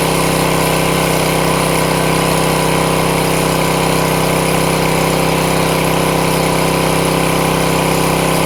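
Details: Craftsman 163cc single-cylinder engine after its won't-start problem was fixed: runs at a steady, even speed with a constant drone and no misses or knocks. Running normally.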